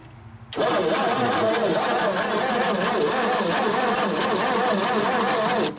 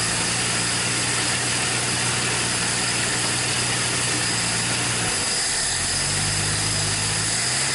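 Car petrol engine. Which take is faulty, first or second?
first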